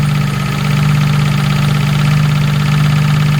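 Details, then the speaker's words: Jaguar MKII after reassembly, engine idling, recorded from under the car: low drone and strong hum with a faint uneven rattle; owner suspects the noise comes from the gearbox, not confirmed. "I tell you what I don't like is the [ __ ] noise from the gearbox"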